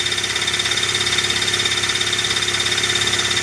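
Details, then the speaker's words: 1998 Dodge Neon 2.0 I-4, 5-speed manual: high-pitched screaming whine and metallic chatter just as the engine fires; starter drive hanging up, not disengaging; pinion teeth found shaved down. "So, that is the starter drive hanging up, not wanting to come"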